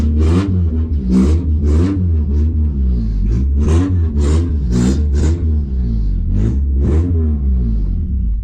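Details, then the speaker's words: Honda Accord CD7 after an H22 engine swap: a deep, even idle with clean, smooth throttle blips and no knocks or misses. It runs much smoother than the night before, so the engine is running normally. "Oh, she sounds so much better, dude. I'm surprised it even held an idle like that before, dude. Honestly. All right. Oh yeah, she sounds good."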